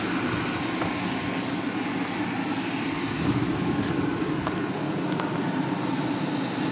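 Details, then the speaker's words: New 1 kW steam turbine spinning at 10,000 rpm on 120 psi steam, with a blower audible too. Steady high whir over a constant hiss; the noise comes from a slightly unbalanced rotor and steam leaking through bearings whose seals aren't installed yet. "that the turban is very quiet and once it's balanced better and seals in it'll be quieter still"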